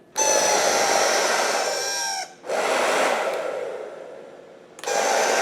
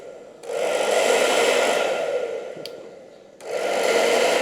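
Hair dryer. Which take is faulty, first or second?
first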